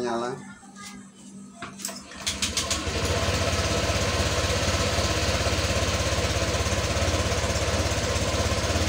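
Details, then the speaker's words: Honda Vario 125 scooter that died while riding and flashed injection code 12, after repair, before code reset: brief starter whirr, then catches and settles into a steady even idle with quiet hum; normal start and idle. "ya teman-teman ya Oke jadi sudah nyala ya teman-teman ya kondisinya"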